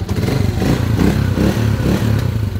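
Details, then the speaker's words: EXT motorcycle, which was noisy before: a steady, even low exhaust beat with no top-end tapping; it now runs smoothly. "Kanina maingay ngayon smooth na. Paandarin mo pare."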